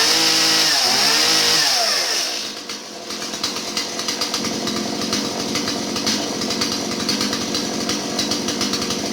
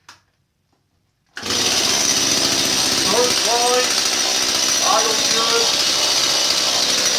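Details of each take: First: Stihl 017 chainsaw that bogged down, after retrofitting an adjustable non-EPA carburetor in place of the non-adjustable EPA carb: it catches, then settles into a smooth, even high-pitched buzz with no bogging, running healthy. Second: Stihl 017 chainsaw with non-adjustable EPA carburetor: idles well, but each throttle blip sags and drops in pitch instead of climbing; bogging blamed on a plugged, poor carburetor.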